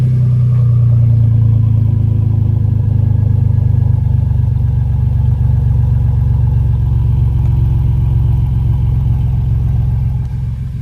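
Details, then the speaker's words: 2015-16 Ford F150 EcoBoost after CRP bigger-turbo install: deep, steady exhaust rumble holding an even note, no knocks or rattles, no exhaust or water line leaks; engine runs healthy. "Love my exhaust, sounds pretty good. Pretty good. So far so good. No leaky."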